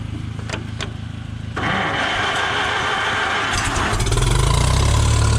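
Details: Farmall M tractor that wouldn't start after a month unused, restarted after ignition points were cleaned and gapped (about 0.014 in): slow cranking catches at once, settles into an even, steady low idle; oil pressure comes up.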